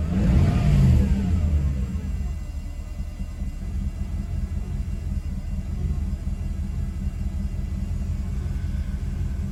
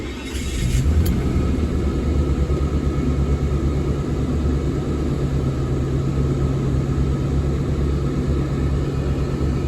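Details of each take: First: Mercedes W124 E420 M119 V8: brief rev, then low uneven rumble with unsteady idle beat, worse than before; ASR light on, owner blames moisture in throttle body needing rebuild. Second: Mercedes W124 E420, M119 4.2 V8, first start after a long repair with the distributor rotor and caps refitted and dried. Steady, even low rumble with no misses, knocks or ticks. Smooth, healthy idle before warm-up.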